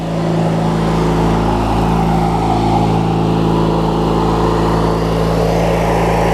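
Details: Craftsman LT1000 riding mower with a swapped-in opposed-twin engine; smooth, even hum with a steady low beat and no knocks or misses; twin idling cleanly, normal idle.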